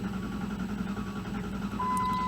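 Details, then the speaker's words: 2001 Dodge Dakota with a faulty, incorrect undersized battery; the starter turns slowly with a labored, dragging rhythm as the voltage falls from 11.72 V to about 9 V while cranking, so the slow cranking comes from the weak battery. "Our start voltage is 11.72. Engine's cranking real slow now. Dropping down to 9 volts."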